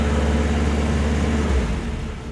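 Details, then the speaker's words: 1968 VW Type 3 1835cc air-cooled flat four, just started cold: deep steady even idle around 650 rpm cold, rising to about 800 warm, no misfire; both banks running, engine running smoothly. "Um it does have a little bit of an low idle right now. Uh it sits like 650 cold."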